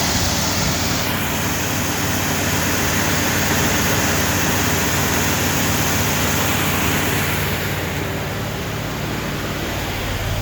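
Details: Rebuilt Ford 302 Windsor V8 with a Melling cam and a new exhaust, on camshaft break-in at about 1500 rpm for 30 minutes. Water temperature and oil pressure good, choke propped open. Steady deep rumble from the exhaust, no misses or knocks; normal.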